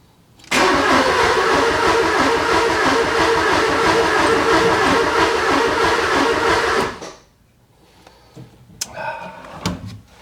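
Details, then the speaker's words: 944 project car with spark plugs in and fuel primed. Steady cranking at about three turns a second for six seconds never catches, then stops: crank-no-start. The owner suspects no gas; the no-start was later confirmed as bad gas. "You know, I'm going back to the original thought of this thing ain't got no gas in it. You know, when I primed it and I I fired it up without the spark plugs in, like the fuel was coming. It just kind of puffed a little. I don't think it's got gas."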